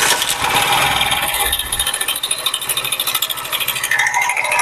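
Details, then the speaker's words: 2019-model motorcycle at idle, before repair: fast, dry, uneven metallic chatter from the top of the engine, a worn, slack timing chain rattling. The chain was found completely worn and replaced along with new rollers. "इसकी timing चैन engine में आवाज है timing चैन आवाज कर रही है"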